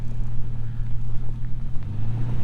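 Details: Toyota driven off-road after broken upper ball joint repair, traction control off because wheel speed sensor unplugged: steady low engine and road rumble with no knocks or clunks over bumps; drives normally, only slight squeaks.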